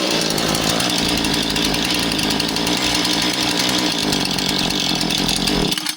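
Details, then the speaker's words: Husqvarna 435 chainsaw that won't idle down: it buzzes fast with no trigger and idles lower when the throttle shaft is pushed down. Something other than the throttle rod holds the throttle open. High idle. "So if I open the throttle up, it idles a little high and if I push physically down on the throttle shaft, it idles down lower."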